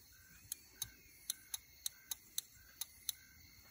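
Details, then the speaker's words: Automotive four-prong relay bench-tested by applying battery voltage to its control circuit: crisp, sharp clicks each time power is applied over a quiet background, showing the control circuit and relay coil switch normally. "you touch the control circuit hear that click that means the control circuit itself is working"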